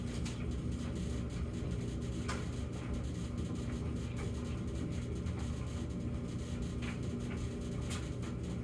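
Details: Samsung gas dryer with an intermittent humming problem (high hum 14 s, low hum 38 s, then quiet for minutes) in its quiet phase: even, steady low drum rumble with no hum rising over it, running normally.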